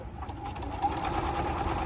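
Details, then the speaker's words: Juki F-600 sewing machine fully serviced after repair (needle bar too high corrected, broken gear replaced), running under foot control after thread cutter test cuts perfectly: quick, even needle chatter, no knocking or grinding; smooth and quiet. "It's cutting perfectly fine. Okay, the machine is now fully serviced."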